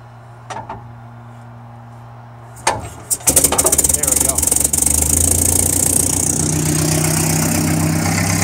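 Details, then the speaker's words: 1961 Land Rover Series II, hand-cranked on flat battery, stone cold with full choke: cranking bursts then loud, raw, crackling idle; muffler fell off, recorded before new muffler install. "yeah pretty loud I push the choking all the way huh she does idle for a little while but she's dead cold"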